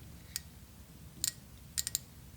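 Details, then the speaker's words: 2000 Honda VFR 800 fuel injector being cleaned, pulsed on the bench: sharp, crisp ticks in small irregular groups as the solenoid snaps open; solenoid works but injector is clogged, fluid draining slowly. "like the valve itself the solenoid is working but the fluid is not draining past"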